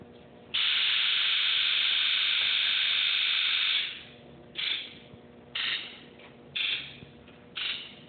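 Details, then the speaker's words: 1997 Ford F-250 Power Stroke diesel, 170,000 miles, original injectors, injector buzz test with a Snap-on Modis: long steady high buzz, then four even short bursts about a second apart, every injector answering cleanly; a good test. "this is my 97 ford f-250 power stroke i'm going to do a injector buzz test on it i'll show you what a good test should sound like"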